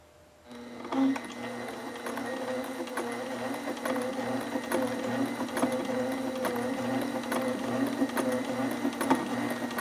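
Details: Sailrite LSZ-1 sewing machine with new WorkerB motor, sewing leather with speed turned all the way down: slow, even needle stroke over steady motor hum, no knocking or binding; normal sewing, good stitch top and bottom.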